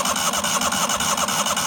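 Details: Neglected 1998 Yazoo YTKC22 three-wheel mower cranked with fuel line disconnected to test fuel pump, solenoid working, needle and seat suspected closed: fast even starter churning, no firing; cranks but won't start, water later found in gas.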